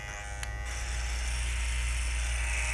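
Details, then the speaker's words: Babyliss Pro X T 45 hair clipper with its guard attachment: a harsh, buzzy rattle over the motor drone that stops only when the guard is held, from a loose-fitting guard. "That to me is not acceptable. I have to hold it, which I should. You should always hold your guard, but it shouldn't be that I have to do this in order to not hear the rattle."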